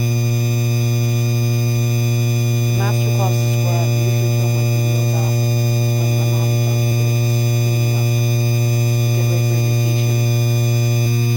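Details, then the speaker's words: 52-inch Hampton Bay Landmark III Plus ceiling fan in a bedroom, the noisiest of this model: with the light kit switched on, a steady low electrical buzz at one fixed pitch; light kit buzzing, cause unclear. "You could hear you could hear that buzzing noise up a little bit down. It's buzzing from the bathroom right now."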